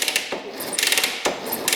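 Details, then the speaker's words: 1967 Honda Dream motorcycle, unrun for 50+ years, oil put down the cylinder: kickstarter worked a couple of times, crisp ratchet clicks, engine turns over evenly with no knocking; smooth kick-over. "Alright, we're gonna kick this thing over a couple times. See if it's smooth. Oh, it feels smooth. No knocking."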